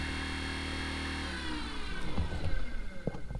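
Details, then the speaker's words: Minn Kota trolling motor after prop replacement, skeg rotation and tuning (previously violent vibration above speed 5 after hitting rocks), at speed up to 10: steady hum then water and hull noise; slight rattle remains, running normally. "uh this thing got a little rattle but it's a lot better than before"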